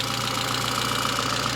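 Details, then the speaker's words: Citroën Saxo VTS petrol, over 20 years old and 200,000 km, with a small stainless silencer, just started; a slight shake at startup, then a quick, even idle with a steady tone and no misses or hunting. "ça tremblote un petit peu au démarrage mais autrement dit le moteur tourne toujours aussi bien et tourne rond"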